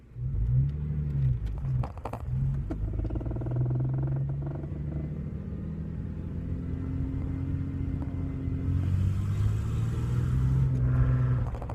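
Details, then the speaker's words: 2002 Ford Mustang 3.8L V6, 5-speed manual, A/C off: pulls with a low rumble, then a sharp pop or two from the exhaust when the throttle lifts for a 2500 rpm upshift; exhaust backfire on upshift. "remember that backfire there it went I'm only shifting at 2500 rpm so I'm not doing any extra"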